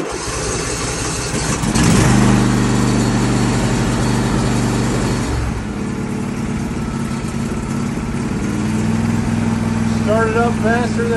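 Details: Riding mower starting on a newly fitted lithium-ion battery, smaller than the original lead-acid but with higher cold cranking amps: brief quick crank, then the engine catches and settles into a steady, even idle; normal start.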